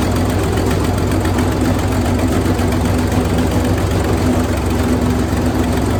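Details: Wood chipper engine running after new spark plugs and a battery: loud, steady low drone with an even beat and no misses or knocks, running smoothly and healthy.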